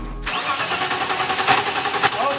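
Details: BMW E30 starter spins the engine over steadily with no catch or firing at all; it cranks but won't start, traced to a loose trigger wheel.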